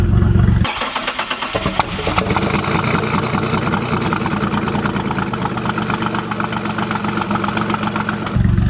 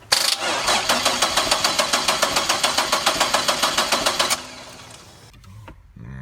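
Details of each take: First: 1999 Chevrolet Camaro 3800 Series II V6, 5-speed manual, Y87, twin-turbo build: first start after fuel pressure reached 40 psi (suspected flooded cylinder earlier). Starter cranks, engine catches into steady, slightly lumpy idle with quick blip; normal first start and idle. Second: 1999 Chevrolet Camaro 3800 Series II V6, 5-speed, twin-turbo build, first start attempt after battery reconnected: starter turns over in even pulses about 3.5 per second for four seconds, never catches; crank no start, cause unknown.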